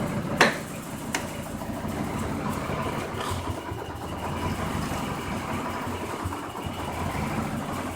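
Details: Unknown ticking at idle, present from start until shutoff, heard around the oil pan; light fast ticking under steady engine idle. Owner suspects something loose or the balancer; cause unknown.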